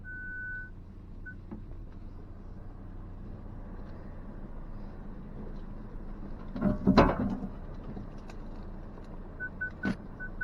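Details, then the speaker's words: 2023 Ford Ranger Tremor on an off-road trail: short high-pitched beeps come and go over the quiet idling truck as nearby branches trip the parking sensors; normal proximity beeping. "hear that pinging it's just picking up those branches and stuff which I will turn off for now"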